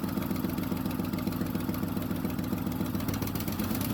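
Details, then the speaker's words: 1976 Ford F250 V8 farm truck first start after getting the starter working and carburetor work; rough idle with loud raspy puffing from an exhaust leak blowing badly on one side, black soot visible; no banging heard. "I think I have a Le all right you see all the black stuff that exhaust is blowing terribly bad over there so I'll definitely have to fix that"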